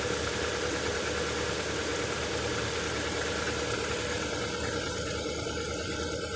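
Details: Lada Vesta cold start at below-freezing temperature: engine runs steady with a fast, uneven tapping knock of roughly two beats a second over the idle.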